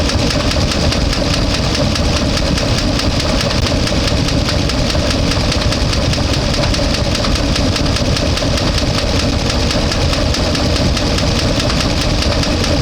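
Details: One-ton truck with LS engine, warmed to about 200–205°F, no oil pressure (suspected stuck-open oil filter relief valve): busy clattery idle with fast tick over uneven beat, bad misfire; owner suspects collapsed lifter.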